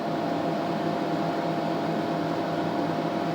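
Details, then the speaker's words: TDI Dynaload RBL 100-300-2000 2 kW electronic load, reassembled after teardown and cleaning, fans in load and power supply running: steady even whoosh with faint constant hum, no ticking, rubbing or wobble; healthy fans. "That start up. Probably hear that other fan kicking in. So, fans are running here. Fans over in the power supply."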